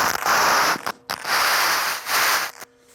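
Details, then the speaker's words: Marantz 2230 receiver just switched on, heard through headphones: loud hissing static bursts cutting in and out with faint hum between; radio tunes fine, only the dirty volume control crackles, needs cleaning. "Actually, so the only thing it sounds like that's wrong with this amplifier is that the volume control is dirty."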